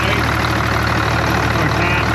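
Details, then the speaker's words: Allis-Chalmers diesel tractor at idle: steady, even, smooth low rumble with no knocks, misses or rattles; sounds really healthy. Throttle linkage was hanging up briefly and wouldn't idle down. "Um, yeah. Sounds really good actually. Really healthy. Good looking. Good sounding tractor."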